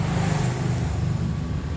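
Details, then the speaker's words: Newly assembled 1 HP air compressor pump running, not yet mounted on its tank: steady low chugging hum, somewhat noisy but even, with no knocks or rattles; holds pressure, normal running. "masih bagus ini suaranya agak agak berisik ya tadi karena ini belum dipasang di tabung posisinya juga masih gini"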